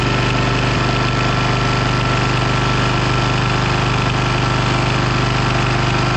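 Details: Abandoned Bolens FS-11 articulating tractor's single-cylinder engine after rewiring, throttle thought to be on fast: steady, unbroken chug at about 3.5 beats a second. Normal running.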